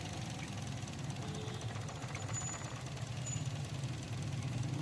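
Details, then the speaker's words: 2010 Toyota Corolla GLi idling unevenly with a stumbling, shaking beat; cylinder 3 dead, car lacks pickup; cause suspected as spark plug, coil or injector. "कि यह में देखा तीन number को यह बिल्कुल काम नहीं करें इसलिए गाड़ी बहुत जानकारी है और पिक नहीं ले रही है"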